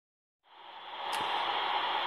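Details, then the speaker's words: Modified RadioShack TRC-1014 radio: a steady hiss rises from silence and settles into a flat rushing noise with no signal. Interference picked up on every band, source unknown. "I just picked up some noise from somewhere on every single every single every single band though"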